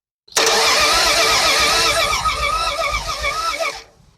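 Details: Engine sitting 40 years, coil just hooked up, points not cleaned, carburetor likely dry; about three and a half seconds of uneven starter churning with no firing pulses, then silence; cranks but no spark, won't start.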